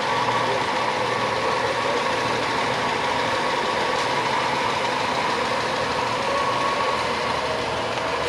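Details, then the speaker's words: 2011 BMW X5 3.0 N55 twin-turbo, 80,000 miles, just revived from a seized engine, first start: steady even idle with smooth hum, no knocking or ticking; sounds good — normal idle. "i can't believe it's running no way and it sounds good too dude it sounds good i think it sounds good right"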